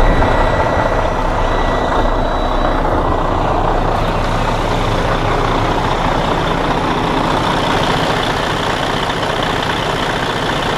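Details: Detroit DD13 diesel in Freightliner Cascadia after repair of camshaft damage and replacement of the whole housing (previously loud internal noise, out of timing): steady even rumble at idle, no metallic clatter or knock; smooth idle.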